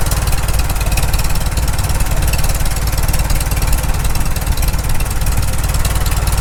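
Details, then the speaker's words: Farmall Super M tractor after full engine rebuild, timing checked with timing light, low-idle carburetor adjusted, temperature just reaching the green: low steady idle, evenly spaced firing pulses, no skips or knocks; normal idle. "right there it sounds pretty good just getting into the green"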